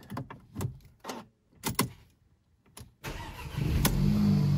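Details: Mercedes-Benz CLA W117 that would not crank or start after an accident, with an airbag fault; engine start was enabled with an Autel scan tool. Several short cranking bursts, then it catches and settles into a steady, even idle; it starts cleanly.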